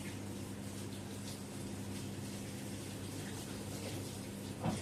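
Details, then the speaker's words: LG F2514NTGW front-load washer after replacing the noisy recirculation pump feeding the door-seal water jet: quiet even pump hum under steady rushing water, no rattle or grinding; circulation pump running normally, spray restored. "And now you can clearly see the water spraying from the door seal again. That confirms the recirculation pump was the issue. No more noise and proper water circulation is restored."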